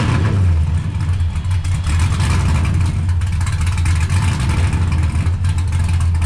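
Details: 1969 Camaro with swapped LS V8 and T56 from a GTO donor, built nine-inch rear, started after a couple of months sitting, following ride-height shackle fix; deep lumpy loping idle, throttle blips rising and settling cleanly; sounds good, normal cammed V8 idle.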